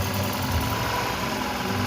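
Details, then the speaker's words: Toyota Camry Hybrid 2AZ after cylinder head and head gasket repair, started the next morning, warm and about to switch to hybrid: even, steady idle with a smooth low hum, no knocks or ticks. No strange sound. "There's no strange sound, so I'm gonna be driving out very soon as well."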